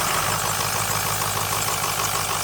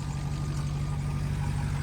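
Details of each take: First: 2006 Ford F350 6.0L Power Stroke diesel, just glow-plugged and started: steady idle with a constant sharp air hiss near the turbo that stops when the VGT solenoid is unplugged; owner suspects over-pressuring and replaces the VGT solenoid. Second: 2006 Ford F350 6.0L Power Stroke diesel idling right after replacing the VGT (turbo electronic wastegate) solenoid: steady deep even rumble with a belt squeal but no air hissing; the turbo problem seems fixed and the idle is normal.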